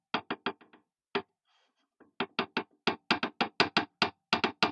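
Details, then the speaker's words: Chinese mini lathe: sharp clacks in quick bursts each time the carriage is pressed, as the saddle rocks on the bed with one side sitting about 0.1 mm high. "it's rocking like naughty holder yeah this is this is not so good so what we'll do is we'll get some fueler gauges and we'll have a look and see just how far out that is"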